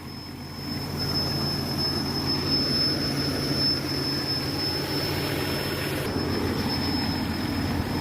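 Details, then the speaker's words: MJ truck at idle: a thin, high-pitched squeal that comes and goes over a rough idle; owner suspects a vacuum leak linked to the evap system, since the purge valve was operating. "You guys hear that high-pitched squealing noise? That's a vacuum leak. Let's see if I can find out where it is. It comes and goes."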